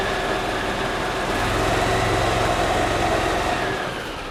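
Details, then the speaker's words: 2008 Yamaha Drive gas golf cart in neutral, customer reports strong gas smell: slightly lumpy uneven idle around four beats a second, spits and sputters after sitting; mechanic suspects a dirty carburetor flooding the engine, running rich. "you can see it starts and runs fine when it sits for a second or two maybe a couple of minutes it'll kind of spit and sputter when it's starting and to me who see knocking it are strong with the gas yeah so it's possible that the carburetor is just dirty and it's flooding the engine a little bit"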